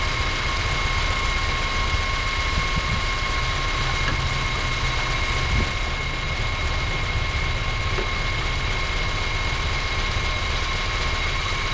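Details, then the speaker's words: 2012 Honda Civic running on natural gas, code P0303: idle slightly lumpy and uneven under a steady low hum, misfire count on cylinder three climbing nonstop; cylinder three misfire at idle. "it has a misfire on cylinder number three and the interesting thing is it's natural gas"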